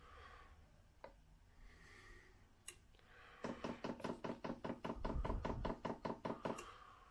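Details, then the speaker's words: Chinese diesel air heater with a new low-noise dosing pump, auto-prime running: crisp, even ticking at about 2.5 per second on a quiet background, perhaps slightly quieter than the old pump; normal priming. "Well, interestingly, I think the prime noise is slightly quieter than it was."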